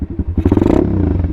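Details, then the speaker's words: Apollo 125 RFZ Chinese 125cc dirt bike, cold engine on a cold morning, half choke: a short throttle blip sags and stumbles instead of picking up crisply. Laggy throttle bog while still warming up. "see it kind of when you give it gas it kind of momomo that's because it's a still warming up"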